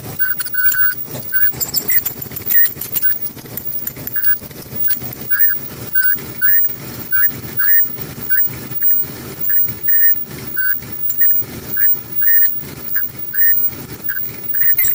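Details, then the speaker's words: Front-load dryer that gets noisier after running a while, with the noise seemingly from the front: a shrill chirp repeats about every half second with each drum turn over a quiet hum. Drum roller squeal. "Sounds like it's coming from the front. I'm gonna find where that big noise is coming from."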